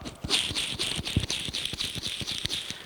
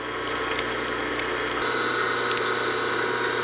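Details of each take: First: Cleaned old bearing from a LeBlond lathe's three-phase motor, spun by hand: a gritty, sandpapery rasp with quick uneven clicks, rough and worn, so it was replaced with new ones. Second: Old three-phase motor from a LeBlond lathe with new bearings, steady smooth hum while grease is pumped into the bearings as it runs; after 10–15 minutes sounds and feels good; normal motor run.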